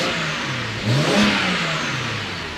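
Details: BMW E90 335i N54 twin-turbo with a new fuel pump and fuel pressure holding at 72 psi: free rev swings up cleanly and falls back smoothly, no stumble or misfire.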